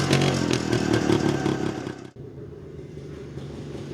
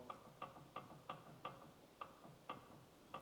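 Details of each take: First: Jawa 250 type 353 two-stroke revving after the cylinder base gasket was replaced: clean, even crackle with the earlier sharp chirp gone; slight bearing rustle still heard despite new bearings. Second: Jawa 250 type 353 motorcycle gearbox turned by hand: light, sharp clicks about three a second, also heard at idle. The owner suspects a worn bearing, perhaps the upper one; source unconfirmed.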